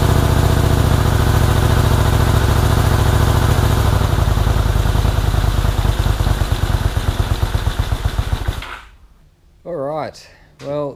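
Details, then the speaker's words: 1984 Honda VT250 V-twin project bike, first start, fuel dribbled into carburetor: lumpy, uneven twin beat around 140 pulses a minute that stumbles and dies; rough running, owner suspects choke stuck on, carbs to be checked. "runs not very well um albeit but it does run i believe the choke is stuck in the um on position or at least that's the way it feels"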